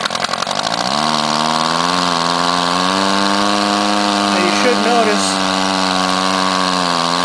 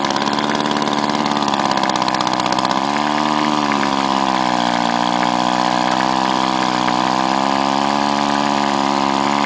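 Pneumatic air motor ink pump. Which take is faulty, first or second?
second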